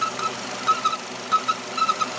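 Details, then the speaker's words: Nissan Terrano (same as Renault Duster) 2.0 engine, 47,000 km, running: thin, high cricket-like chirps in irregular bursts that seem to come from the flywheel or release bearing area. Crankcase ventilation (PCV) valve chirps under vacuum; it stops when the dipstick is pulled. "Скрип, щебетание, крики сверчков вернулись. Вытащите щуп. Всё исчезло. Это клапан подачи газа в картер."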